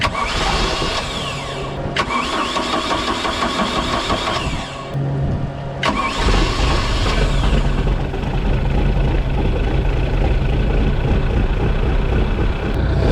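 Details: Bayliner Capri with a Mercruiser Alpha One 3.0L that clicked but would not start (starter relay). The starter cranks briefly, then the engine catches cleanly and settles into a steady, even idle with no misfire or clatter.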